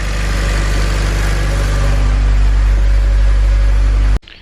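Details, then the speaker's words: 2007 Honda Civic Si idling after replacing the serpentine belt, tensioner and idler pulley: steady, even idle with a smooth low rumble, no squeal, chirp or rattle; belt not wobbling, the earlier noise is gone. "everything seems to be running good get my light down in here felt doesn't seem to be wobbling around at all everything seems to be running smooth the sound that i had before is all gone looking good"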